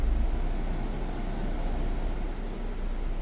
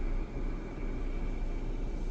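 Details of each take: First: Jeep Grand Cherokee with noise inside when A/C switched on: smooth even low hum, no rattle or squeal; normal after refrigerant recharge, suspected cause low gas. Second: Jeep Grand Cherokee with AC switched on: steady low rushing hiss like gas surging through the evaporator under engine hum; suspected low refrigerant.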